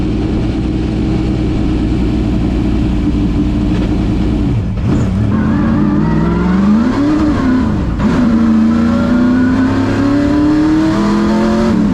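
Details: Ford Thunderbird NASCAR stock car (Hooters) on test drive after reinstalling the starter and re-gasketing/tightening the headers: loud V8 pulling hard through the revs, rising and easing with throttle, clean and strong, no misfire or knock; runs great, plenty of power.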